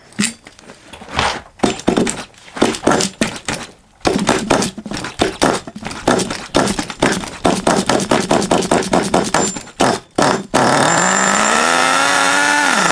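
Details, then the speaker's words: HPI Savage 21 nitro RC truck, revived after being drowned, throttle open: irregular pops and cranking knocks, then it catches into a steady high buzz whose pitch swings with throttle. Normal running. "yeah running well now though i'm pleased with that"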